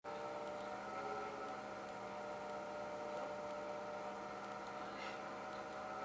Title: Corsair PSU SUPER LOUD NOISE